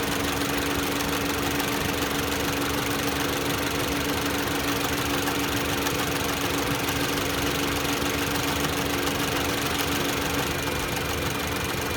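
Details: 2018 Jeep Renegade electric radiator cooling fan before replacement: loud steady rushing roar with a low droning hum, a noisy fan.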